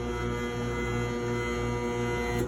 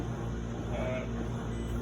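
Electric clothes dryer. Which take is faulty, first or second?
first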